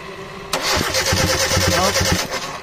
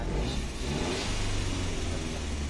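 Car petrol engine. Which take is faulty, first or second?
first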